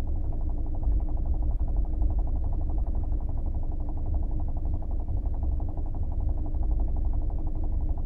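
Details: Brand-new Kia Optima: deep, steady idle with a dull, rapid knock running evenly through it. The official dealer claims the knock is a normal feature of the engine; the cause has not been pinned down.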